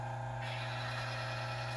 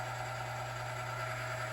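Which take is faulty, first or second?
first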